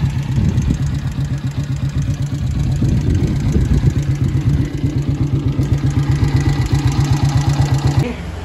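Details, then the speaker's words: Yamaha Vixion at idle with the radiator fan running constantly: sharp ticking about four per second follows engine speed, from valve clearance set wrong; valve adjustment reduces it. "bunyi banget gitu ya kondisi motor yang sekarang seperti itu"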